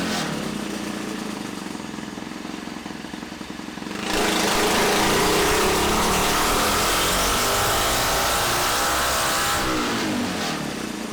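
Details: Freshly built Tillotson 236R kart engine, first full-throttle power run on the dyno. A steady note rises to a smooth wail for several seconds with no misfire or rattle; healthy, though power came in below expectation.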